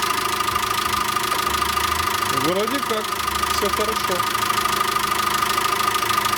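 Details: VW Caddy 2.0 BSX methane-fuelled engine after lifter (hydraulic compensator) work and timing belt replacement, just started, not fully warm: even steady idle with smooth hum and no top-end ticking; lifters quiet, engine healthy.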